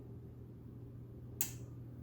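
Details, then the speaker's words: Refrigerator not cooling, compressor warm: low steady mains hum, then a single sharp start-relay click with no motor coming up to speed. The compressor isn't starting; a bad compressor is suspected rather than the relay. "that click that compressor is trying it really is trying to get that compressor they kick on this the thermostat telling me but that compressor is not doing the job"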